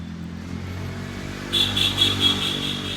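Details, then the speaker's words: Vespa scooter, starter relay grounded directly so starter cranks: pulsing whirring drone but engine never fires; crank but no start, no fuel because a rat chewed the side-stand sensor wire. "ஆனா இது self work ஆகும் ஆனா வந்து petrol வரக்கூடிய contact வந்து வராது. ஏன்னு பாத்தீங்கன்னா இது வந்து சைடு சைண்ட் சென்சார் வந்து உள்ள வந்து ஏலி கடிச்சு கம்ப்ளைன்ட் ஆயிட்டு."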